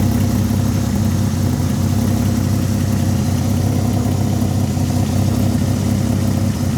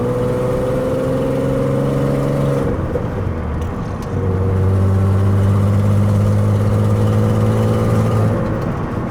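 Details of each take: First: Peugeot 206 with swapped VR6 engine, restarted after replacing power-steering pump O-ring: steady even idle, smooth low hum, no misses or knocks; no leak seen, running cleanly. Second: Peugeot 206 with swapped VR6 engine on first road test: raspy puffing exhaust note over the engine as the car pulls and shifts, possibly from a known exhaust leak; pump noise now gone, no clunks heard.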